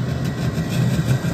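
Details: Wood-burning boiler draft fan with front cover off, blowing air through regulator valves to the firebox; steady low hum with an even airy rush and no rattle or scrape. Normal fan operation.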